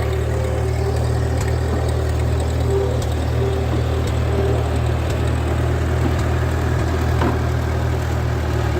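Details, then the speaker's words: 1939 Ford 9N tractor on road test in first gear, just got running with oil pressure: steady low drone with faint even gear hum; ordinary straight-cut gear noise, nothing wrong. "That's first gear. Sounds like she's got the straight cut gears in her."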